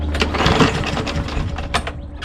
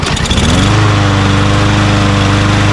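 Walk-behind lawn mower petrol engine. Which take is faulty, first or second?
first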